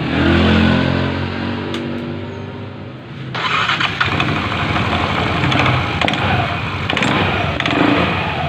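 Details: Yamaha NMAX scooter restarted after CVT-area service with the fan fitted and the one-way part tapped. It settles into a smooth, even idle with no rattle or knocking from the drive.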